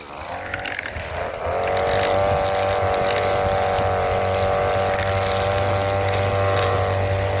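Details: Hyper Tough 26cc two-stroke straight-shaft string trimmer, new, first start: pull-start catches, revs build over a second or two, then a steady buzzing note holds smoothly; healthy.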